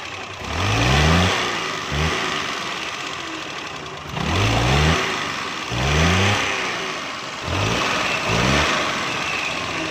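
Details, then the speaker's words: Suzuki Mehran 796 cc running on gas: uneven idle broken by deep thudding backfire bangs as it revs, also smoking; contact breaker point gap found fully closed, causing the backfire. "जब गाड़ी ये बैग लगाया दोस्तों, इसने कंटिन्यूस से रबड़ बाहर निकाल दिया है, ठोस ठोस की आवाज़ें निकालती है।"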